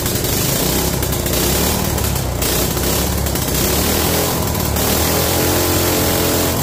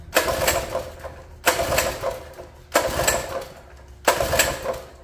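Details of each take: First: Mini bike small single-cylinder engine after draining water from the carburetor float bowl: keeps running on its own with a steady, even putter; normal running, though throttle not yet working. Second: Free mini bike small single-cylinder engine after sitting: four pull-cord yanks, each a short rattling spin that dies without firing; no-start because the carburetor float bowl was full of water.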